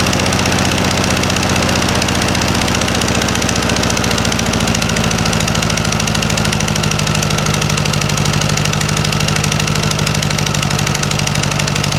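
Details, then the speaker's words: 1956 VW Beetle engine at idle after a swap from Weber 34 ICT to a Solex 34 PICT 3 carburetor: a fast, sharp puffing tick in step with firing. It is an exhaust leak at the unbolted heat riser flanges, not valves. "you did probably notice it's a little bit of a Papa Papa Papa Papa sound it's not valves that sound you're actually hearing is the heat risers right here because I don't have the bolts in either side so you're hearing that popping"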